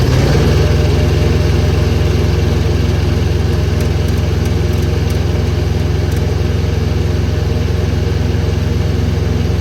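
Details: Truck Comfort Pro APU small diesel after servicing, checked for rattling; steady even thrum at constant speed with no knocks or rattles standing out; normal running.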